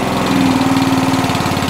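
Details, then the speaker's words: Qualcast 35S cylinder mower before service (oil, plug, air filter), throttle not working properly: fast single-cylinder beat on fast throttle rising and falling unevenly, hunting when choke off, runs better on half choke, cuts out if idled down. Engine hunting. "that's the engine ticking over oh i've got this on fast and that's it's got a bit of a hunt to it"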